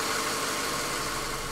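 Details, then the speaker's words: 1997 Honda Accord 2.2L EX being diagnosed for a P0118 coolant temperature sensor circuit-high code, warming up at about 168–170°F coolant temperature before the thermostat opens. Steady, soft, even idle hum with no knocks or misses, running normally. "you can see our coolant temp is at 168 170 degrees and many times what i'll do especially after the idle goes down i'll bring it up to 2000 or 2500 rpms to help warm it up"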